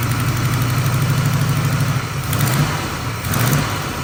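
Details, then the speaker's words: 1979 Camaro small-block V8 from a damp shop, first start: lumpy idle with fast ticking puff on exhaust pulses; header leak somewhere low, exact location unknown, otherwise sounds good. "Still got a header leak. Not exactly sure where somewhere down in there, but she sounds good."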